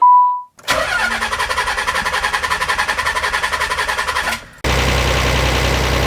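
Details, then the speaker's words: 1992 Nissan 300ZX Twin Turbo, first start after intercooler and hose work, fuel pump primed: even cranking about nine pulses a second for nearly four seconds, never fires; leak found. "couple things it didn't start and we've got something down here so we'll need to figure out what is leaking here"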